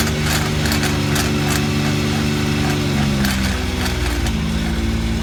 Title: X3 driveline grinding sound